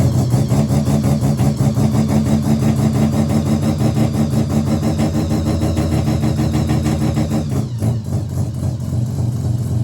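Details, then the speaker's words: Mazda RX-7 13B bridgeport EFI conversion, borrowed Microtech ECU mapped for a bridge turbo with 1,000cc injectors while fitted with 700cc: a lumpy, uneven idle with no steady rhythm; it balks at the accelerator and needs a tune. "Now, this is only idling. As soon as you touch the accelerator, it just doesn't want to know you, but still good start."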